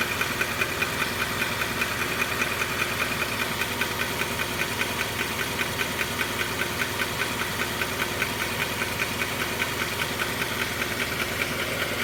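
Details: Honda CR-V at idle: sharp, even ticking/clacking about two and a half times a second over a steady idle; engine ticking, cause unknown to the owner.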